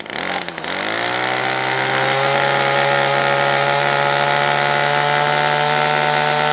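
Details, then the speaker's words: Titan two-stroke strimmer after winter storage, once warmed: fires, climbs quickly and holds a steady, even high buzz with no stumbling; runs smoothly, on/off switch now working, possibly dirt was the cause. "better all right and now the honor switch is now working ah there you go might say a bit of dirt in there"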